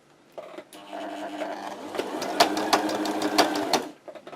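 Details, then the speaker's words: Sewing machine on wide zigzag knocks and drags: sharp, uneven knocks about three a second as the thread catches on something, traced under the needle plate to a burr. "так вот тарахтит цепляет что-то цепляет не понятно значит я беру и открываю пластинку снимаю"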